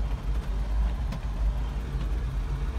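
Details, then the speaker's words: 1984 Toyota Land Cruiser 45 series with a 2F petrol engine, after checking the plug gaps at about 32 thou, driving in the yard: still uneven, stumbling misfire. The cause was a failing ignition coil, after an earlier breakerless distributor swap with the ballast resistor removed. "Still a bit wobbly. No, something's going on still."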